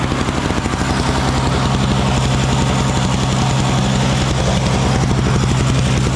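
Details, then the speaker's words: Small Frontier backyard snowblower clearing snow from a shop floor: steady even drone with firm low beat under load, no misses or surging; running well. "that little blower works good though doesn't it little Frontier backyard blower I think it works pretty good pretty good"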